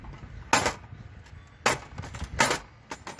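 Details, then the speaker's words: HART 10-inch compound mitre saw, new: sharp metallic clanks, about one per second, as the blade head springs back up, loud rattle at the return stop; owner dislikes it and suggests adding a cushion or dampener there. "The only thing I've seen is this makes a loud noise right here. When you bring this blade back up, can you hear"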